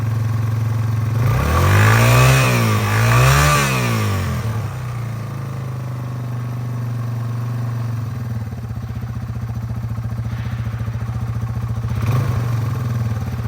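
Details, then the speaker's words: 2001 Yamaha TTR 225 after four years sitting and carburetor cleaning, first start with jump pack: two quick revs rise and fall cleanly, then steady, even single-cylinder idle putter; runs healthy. "so as you can tell it did fire up it took a second I think that fuel was just a little slow getting in there um but it is running well it's IDL and smooth"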